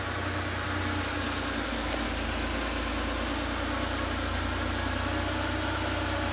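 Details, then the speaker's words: Porsche 911 Carrera 3.2L engine on a test stand, first successful start after sitting, cold: steady even idle with smooth low drone, no misses, knocks or ticks; running healthy. "okay here we go that's vibrating yeah it's running great awesome"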